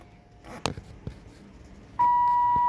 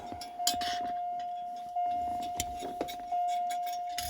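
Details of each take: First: 1980s Lincoln Town Car/Mark VI after replacing the door warning chime with a used unit from an '85: a few light handling clicks, then a clear steady mid-pitched warning tone, the chime working normally. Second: 1980s Lincoln Town Car door/key warning chime being replaced: a steady high-pitched beep drones continuously under the clicks of handling because the key-in switch contact is touching all the time.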